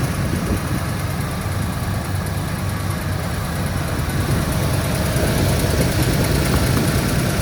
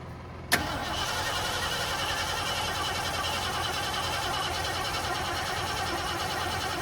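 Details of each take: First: 1973 Ford Gran Torino Sport, 351 Cleveland V8, first run after 35 years sitting, no fuel pump hooked up, idled down: fairly steady, lumpy idle with even rumble and no obvious knocking; normal idle, runs not too bad. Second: 1973 Ford Gran Torino Sport, 351 Cleveland V8, sat over 35 years, HEI wire now connected: click then steady cranking for several seconds, never fires; no start from incorrect ignition timing with spark plug wires out of position.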